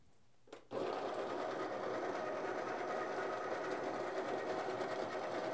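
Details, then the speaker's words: Baratza Encore coffee grinder after disassembly and unclogging of the discharge chute: motor snaps on and settles into a steady high whir with an even crunch of beans; grinding normally again. "and we're back to grinding the grinders back in action"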